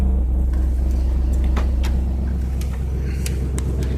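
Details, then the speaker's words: Trans Am with a manual choke at cold start: a deep, steady rumble with an even beat of about two pulses a second and no knocks or misses; normal, healthy cold idle. "this sounds really good I mean that's that's cold idle but it does sound really good"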